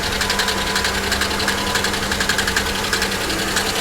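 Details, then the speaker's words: Engine ticking at idle on a V6 Copart salvage car (3400/3100-type engine), sharp light top-end ticks about three a second; owner suspects collapsed lifter, possible misfire or bad coil, or blown lower plenum gasket, though no milkshake or coolant seen in oil. "actually that does sound like lifters that almost sounds like this car maybe has the blown lower plenum gasket which these 3,430 100's are absolutely known"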